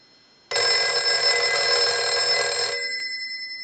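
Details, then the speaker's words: Western Electric 302 rotary desk telephone with its line cord plugged in, rung by an analyzer's ring cycle: a strong, clear metallic bell rings steadily for about two seconds, then dies away. The ringer works normally. "now what we want to do is we want to go ahead and plug our line cord in and we're going to use our analyzer and we're going to ring this unit so we'll go ahead and start the Ring cycle we're gonna let that go a few times"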